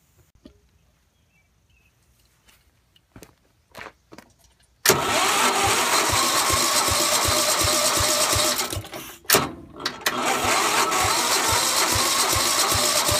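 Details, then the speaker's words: Gravely 430 tractor, Onan NB engine, first start with new crank-trigger ignition after sitting about 25 years with varnished fuel: a few cranking bursts, then runs on starting fluid at a steady beat with one brief stumble; owner thinks timing might be off a hair. "it was running pretty good the timing sounds like it might be off just a hair but I don't know if that's because I was using starting fluid which is very like aggressive when it burns"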